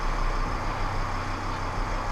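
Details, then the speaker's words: Volkswagen Crafter 2.5 CDI 100 kW diesel after replacing the drive belt damper pulley, whose rubber had torn and knocked: smooth, even idle with steady low drone, no knock or rattle while turning the steering wheel; normal idle. "Теперь шума у нас, естественно, никакого нету. Вот мы крутим рулем."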